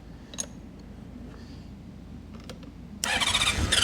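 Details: 1976 Honda CB550 four parked 48 years, on a weak battery: quiet cranking, then about a second of loud ragged sputtering that won't catch.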